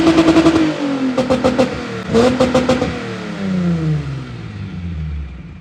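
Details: VW Golf Mk1 (VR6 tagged) with broken exhaust awaiting repair, revved; loud raspy blat swelling with each rev and crackling as it drops back. Broken, leaking exhaust.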